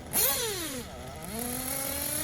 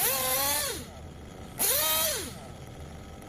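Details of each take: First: Tekno buggy with Blok 21BM nitro engine, warmed up, tuning top-end needle: short blips to high revs climbing a bit sluggishly, slightly soft at the top; top-end still rich, leaned in steps. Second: Tekno buggy with a Blok 21bm nitro engine: repeated high-pitched revs rising to a clean, crisp top-end scream after the top-end needle was leaned in several bites; the slight change in top-end pitch shows the top end is correctly tuned.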